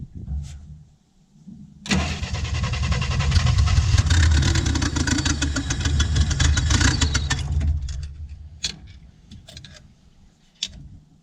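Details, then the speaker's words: 1967 Chevy II V8, already warm, carburetor vacuum leak (too much air): cranks and catches, runs unevenly, then dies unless the choke or throttle blade is propped open. "this thing did not want to run basically i have to keep the star the my snap-on key in the throttle blade or the choke blade there to keep it running which means i'm getting too much air somewhere"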